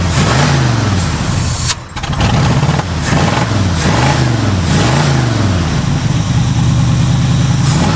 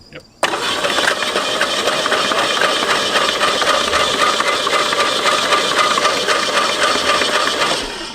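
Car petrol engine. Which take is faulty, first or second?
first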